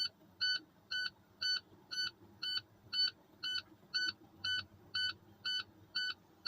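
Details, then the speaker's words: Tractor-trailer air brake test, engine off with key in accessory, holding the brake for 60 seconds: clean double-tone beep about twice a second. The tractor low-air warning light and buzzer came on at 65 PSI. "So Patrick, my light and my buzzer for my tractor came on at 65 PSI."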